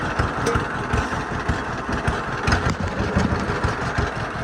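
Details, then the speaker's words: Late-model John Deere B (1947 or 1948), six-volt with magneto, idling through a newly fitted muffler on a windy day: even, unhurried twin-cylinder putt-putt with a regular beat and no misses; healthy idle. "Tractor's running good. A lot better with a muffler. I couldn't imagine farming for too long with a straight pipe."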